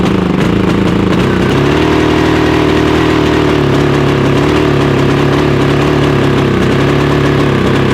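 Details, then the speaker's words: Harbor Freight Predator 5000 generator running on gasoline: uneven slightly lumpy drone never settling; backfires on propane but runs the same on both fuels, owner suspects a cause common to both; rough running, cause unconfirmed. "I'm going to run on gas because when I ran on propane a while ago, it seems to backfire. So, it's not running as well on the on the propane."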